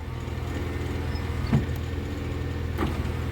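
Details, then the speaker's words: VAZ power window with voltage booster to about 18 V: steady motor hum and brief thump at the end, glass moving quickly and smoothly, no binding. "очень круто очень круто прям по кайфу отпускать и поднимать стекло потрясающе"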